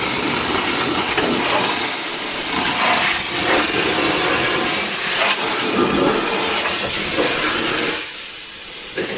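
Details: Restoration of a white 2.0 automatic Mk3 Ford Cortina GXL: steady hissing spray from an air-fed wax gun treating the door bottoms and seams, even and continuous with slight fluttering; hose had a kink; normal operation.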